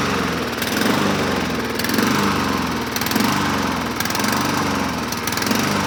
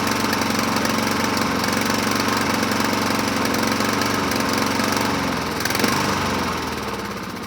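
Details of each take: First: 2007 Honda HRR2162SDA mower after freeing a stuck-open intake valve (zero compression) and cleaning the crusty carburetor, started on choke: single-cylinder hums steadily with gentle rise and fall about once a second; runs evenly and healthy. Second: 2007 Honda HRR2162SDA Quadra Cut mower after fixing stuck-open intake valve, started on choke: speed swells and sags instead of holding steady; surging, owner may clean carburetor again after water found in fuel tank.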